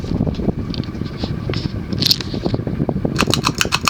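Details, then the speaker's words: 1984 Union Gulf Star 52-inch ceiling fan, cast-iron spinner motor, Casablanca blades at 14 degree pitch, on high around 225–230 RPM: strong steady rush of air with rhythmic whoosh, light buffeting, no grinding or wobble. Normal high-speed running. "turn it on and you see this absolutely beastly performance the motor this is more powerful than a k55 this is more powerful than most stack motors okay it's probably running it 230 rpms on the high"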